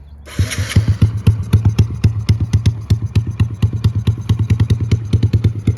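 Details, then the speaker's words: 2006 Yamaha TTR50 50cc dirt bike with GTR exhaust, after carb cleaning and a new battery, air-fuel mixture being adjusted but unsure if set right: fires right up to a steady, quick, clean, even single-cylinder idle; running healthy. "dirt bike fires right up I was playing with the air fuel mixture cuz I'm not sure exactly if it was set right but does fire up"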